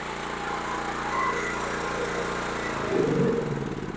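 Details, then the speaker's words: Generac GP6500E generator after sitting for years: carburetor cleaned, gas tank drained and cleaned, new battery and new switch fitted, choke on at start; it catches and settles into a steady, even putter with a slight surge near the end. "oh there you go it runs like brand new again"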